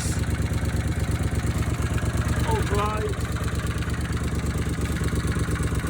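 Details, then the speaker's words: Honda CX500 V-twin, cafe racer project, at idle: slightly lumpy, uneven beat about three pulses a second, stumbling now and then like a misfire; both cylinders appear to fire, cause not confirmed. "Now you can hear that. It's like a misfire actually."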